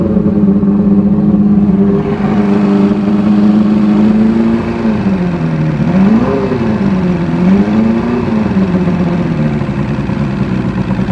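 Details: Evinrude Starflight 100 hp four-cylinder two-stroke outboard on premixed fuel, manual ignition advance with throttle: it fires right up, with a smooth, even buzz that rises and falls cleanly on throttle blips. No misses or rattles; runs great.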